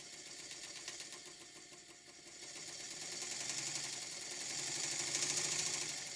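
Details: Vintage Bassett-Lowke model steam engine running on compressed air, with recording volume greatly boosted. Faint, quick, even hissing chuff at about three and a half beats a second, with no knocks or catches; it runs sweetly.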